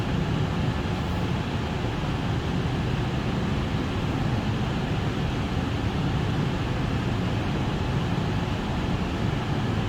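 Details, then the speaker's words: Parking-garage CO ventilation exhaust fan on a VFD running at 100% speed with CO at 27 ppm, above the 25 ppm setpoint: a steady, even whooshing roar with no surging or rattles; normal full-speed operation. "still sounds like it's running 100 we're at 27 ppm"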